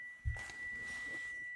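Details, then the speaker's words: Solar-powered DC heating element switched by a solid-state relay and thermostat controller: thin steady high whistle from the element at the switching frequency; not heard near the controller. "Отут воно свистить. Отут в тенові."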